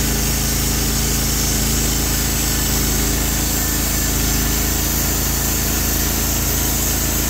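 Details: Norwood HD36v2 sawmill with new roller guides replacing the ceramic guides, cutting black oak hardwood: a steady engine drone as the band cuts evenly, with no squeal or chatter. The cut is smooth; normal cutting under load.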